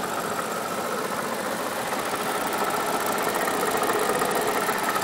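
Fast, light ticking runs steadily over a smooth idle, nothing deep or knocking underneath; a worn water pump bearing clicking.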